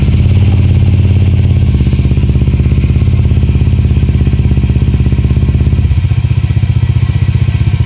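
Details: Honda Airblade with JVT exhaust after fixing a leak at a poorly welded pipe joint that caused backfire: even low putter at idle with no pops or cracks, settling smoothly as revs drop; normal idle.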